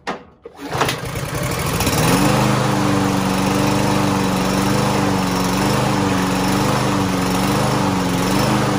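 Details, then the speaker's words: Lawn Boy lawn mower unused for almost a year, not starting, fed starting fluid: after a cough the engine catches and climbs to a fairly steady drone with slight hunting, running a little longer but still recovering. "ahí arrancó y ya duro un poquito más de tiempo"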